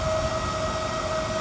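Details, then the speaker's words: RV refrigerator in a slide-out with a side vent, stock cooling fan triggered by a heat gun, before fan replacement: a steady loud whirring hum with a tone near 600 Hz, somewhat quieter when lifted. Loud cooling fan noise. "that's what this pound sounds like it is and I can lift it up it does get quieter but it's still really"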